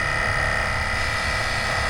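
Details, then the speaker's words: Gulf Stream Endura motorhome exhaust brake air pump, newly wired with a relay, running at key-on: steady electric hum with fixed high tone; pump now runs and builds pressure normally after not working before. "before that thing is pumping up heck yeah I like it when it's an easy fix"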